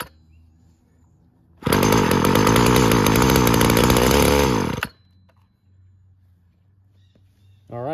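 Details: Weed Eater GTI 19 two-stroke trimmer from an estate cleanout, with fuel mix primed into the cylinder and stale tank fuel: fires and buzzes high for about three seconds, then the note sags and it dies; it runs only on primed fuel, pointing to a bad fuel supply.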